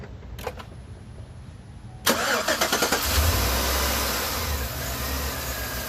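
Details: 2013 Chevy Suburban 1500 started briefly after replacing a noisy AC stretch belt, with the air intake still off; a few cranking beats, then it fires to a steady idle with no belt squeal. The new belt stayed on and all is intact.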